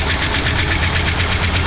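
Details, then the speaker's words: 1960 Buick LeSabre V8 just started after long hibernation and fuel pump replacement, cold: fast, light even ticking about eight per second over steady idle; suspected valvetrain tick, cause not confirmed. "That's freaking That's ticking a little bit. Did he have a Why'd you shut it off? It started up so fast to me."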